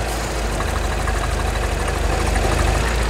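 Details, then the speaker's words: Auction car being inspected, smoking at the rear when started: uneven chugging idle with a light tick about three times a second, a rotational tick growing with revs; rough idle with ticking, cause unknown, possibly factory normal. "seems just a little bit chugga chugga what the hell let's wrap it a bit more there is definitely a rotational tick to that engine as you get higher in the rev range"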